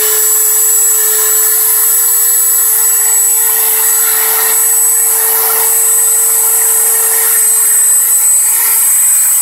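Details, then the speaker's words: Five-day-old Dremel 3000 at maximum speed: piercing steady high whistle above the motor whir, absent when new and appearing after the first two days; shaft also spun jerkily and shows runout; cause undetermined. "еще больше тоже уже был слышен такой пронзительный свист которого изначально не было изначально это в первые два дня после покупки"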